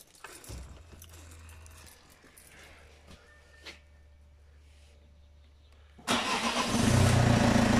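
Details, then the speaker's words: Low-mileage donor diesel swapped in with rebuilt head, oil cooler fitted, oil primed and injectors just reconnected: quiet few seconds, then the engine catches abruptly and settles into a loud steady run without misses; clean first start. "look at that you've been witness to that that you first start"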